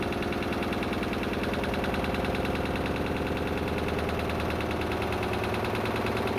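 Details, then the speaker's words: Lister diesel emergency air compressor on the M/V Steve Irwin, 24 bar rated: slow, heavy single-cylinder beat about three per second, dragging under compressor load; labouring, as is normal when filling an air bottle. "and it but as you said it was laboring but normally it would be with an empty bottle"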